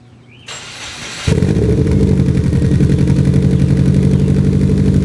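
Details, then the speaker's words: 1990s Subaru GM6 Impreza with a single-overhead-cam boxer, after a stage-one restoration: the starter whirs briefly, then the engine catches into a steady, deep, even boxer burble at idle with no misses. Normal idle. "Would you just hear it? Beautiful Subaru Boxer rumble. What's interesting is the single overhead cam is actually pretty decent when it comes to like exhaust notes."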